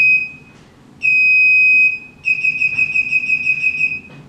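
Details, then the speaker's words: Electric TV cover roller motor being reprogrammed: after the button is held eight seconds to erase the program, a short beep, a long steady beep and a rapid warble confirm the erase. The remote no longer works until re-paired. "so again we're gonna hold this down for three seconds and then press the confirm when we hear the beeps"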